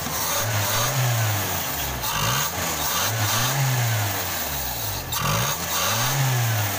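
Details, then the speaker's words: Toyota Kijang Krista 5K/7K carbureted engine that had stumbled and lacked power, after replacing dead number-one spark plug: idles evenly with gentle rise and fall, no stumble or misfire; normal idle. "oke ini suaranya harus lagi udah enggak pincang lagi ya"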